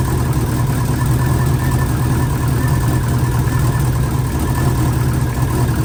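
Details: Freshly installed engine in an 04 Subaru, first morning run after filling oil and coolant and bleeding overnight: steady low rumble with an even, unbroken idle and no knocks or misses; smooth, healthy idle. A coolant leak was later believed fixed at a cylinder-4 cooling-mod fitting.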